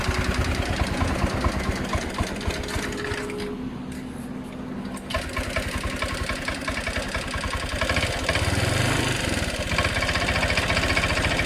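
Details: Honda Click 125i scooter, hard to start with poor, stumbling acceleration: uneven putter of about 220 beats a minute that stumbles and nearly dies mid-clip, then picks up. Fuel starvation from low fuel pressure.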